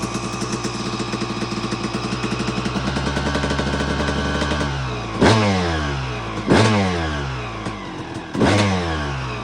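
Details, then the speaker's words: 2002 Suzuki RM250 two-stroke after full restoration, during heat cycles: crisp even idle, three quick throttle blips rising cleanly and dropping straight back; idle dialed in and much better, running healthy. "can hear the idle's much better now. Got it all dialed in."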